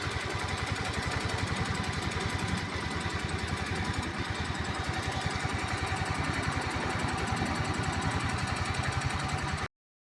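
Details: Scooter engine at idle with a rapid ticking, roughly three to four beats a second, riding over it; abnormal ticking, source not pinned down.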